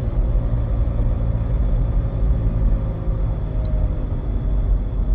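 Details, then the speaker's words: Road test after replacing a broken axle: heavy steady low drone and rumble while driving from a bad wheel bearing; transmission fine. "so everything went good on a road test he's got a bad wheel bearing too I don't know if you can hear that"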